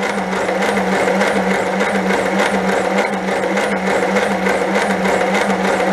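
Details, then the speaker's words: 1930 Plymouth barn find, previously seized, plugs out: steady mid-pitched electric whir with gentle even pulse about twice a second; starter spins the engine freely without getting hot. "starter's not getting hot that's good uh I'm gonna put the battery charger on the battery"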